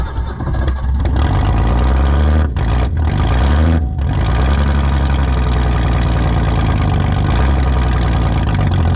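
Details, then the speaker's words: 1961 Ford Falcon wagon parked in woods 38 years, found with no oil; first start roars at full throttle, stumbles, nearly dies without pedal pinned; owner suspects intake full of debris. Oil pressure good. Hard starting, runs only at full throttle. "I had to like hold it wide open throttle like it it's getting too much uh once that intake's full of stuff or something that was weird"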